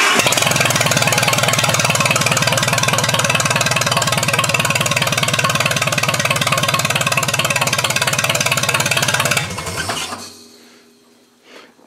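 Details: 1956 International Harvester 300 Utility four-cylinder (firing order 1-3-4-2) after valve adjustment: chugs along at an even steady beat with no valvetrain tapping, then shuts down cleanly; runs fine.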